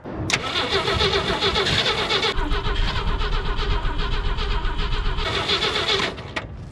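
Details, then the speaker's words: 1964 Jeep Wagoneer with a Chevy rotor fitted and spark confirmed: steady starter churn about four turns a second, engine spins but won't catch; fuel starvation, so gas is poured in. "we got spark that actually works well now we need fuel some good old snowmobile gas we'll put a good amount in"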